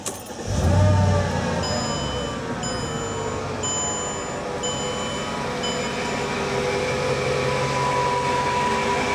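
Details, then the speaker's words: 2003 Mercedes-Benz E55 AMG supercharged V8 idling with a coarse, diesel-like knocking rattle from a worn supercharger pulley (clutch) bearing under the cover; replacing just the bearing eliminated the noise. "the sound you were just hearing is a worn out supercharger pulley bearing which is underneath this cover"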